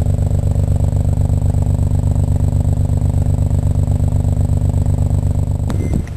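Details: Blown rotary engine cranks with a steady, even whirring churn at about 160 beats a minute and never catches, indicating no compression.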